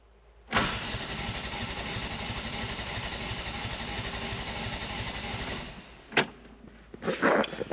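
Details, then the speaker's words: Mk4 Ford Fiesta unstarted for four years, dash lights and fuel pump working: starter spins at an even churning beat about five seconds without firing; cranks but won't start, ignition coil suspected. "I was told it was a non-runner and it is a non-runner"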